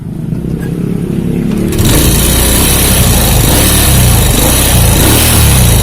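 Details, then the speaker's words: Honda Supra Fit motorcycle that overheats and stalls when hot, hard to kick, idling with valve cover off: dry rattly ticking from rockers with no oil reaching the top; worn oil pump gear or clogged pump by the clutch suspected. "Tidak ada tanda-tanda oli naik ya teman-teman. Ini bisa dipastikan gigi pompa olinya aus, bisa juga pompa oli yang di sebelah sini, yang di sebelah kopling ini terhambat atau banyak kotoran yang menumpuk di bagian itu. Jadi olinya tidak sampai naik ke atas."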